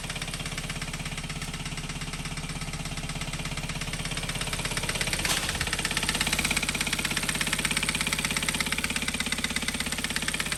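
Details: 2012 Hyundai Veloster 1.6 G4FJ manual, petrol engine idling with steady knock about three a second, louder as revs lift slightly; owner says common Veloster problem, cause not yet confirmed before engine teardown.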